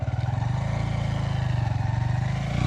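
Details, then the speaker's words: New Honda Hornet 125 pulling away in first gear on a quiet road; even low single-cylinder thump with a faint primary gear hum, audible only because the engine is very quiet. Normal primary gear whine, not a problem. "ये है इसकी primary gear का हल्का सा जो आवाज मतलब बहुत साइलेंट है इसलिए प्राइमरी गियर की आवाज सुनाई पड़ती है। वो कोई प्रॉब्लम नहीं बता रहा हूं भाई।"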